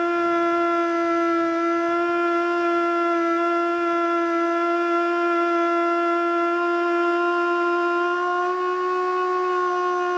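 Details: Older Federal Signal Model 2 siren (old CD box), Princeton NE, alert test: steady wail hangs below full pitch and wobbles; rotor never reaches full speed; owner suspects worn brushes.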